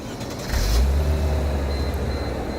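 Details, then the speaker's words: 2003 Mercedes-Benz C240 4MATIC at 190,000 miles, started from the driver's side: the engine catches in half a second and settles to a deep, steady, even idle with no knocks or misses. A normal start. "And I'm actually going to start this vehicle up so you can hear the engine, because the engine sounds pretty good."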